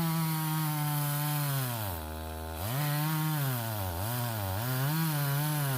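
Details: Stihl 026 chainsaw that pops or misses on the high side when hot or worked hard: a steady scream that sags and stutters when pushed in the cut. An ignition wire grounding out is suspected; the fix is replacing the coil and wire and setting the air gap.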